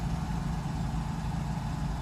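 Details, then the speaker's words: Mercedes 600SL cold start after sitting a few days, with both original and replacement mass airflow sensors installed, check engine light on and fuel very low: low, even, steady idle with no knocks, misses or hunting. RPMs are heading the right way. Normal idle. "so this is the cold start as you can see rpms are gone right direction everything's just fine"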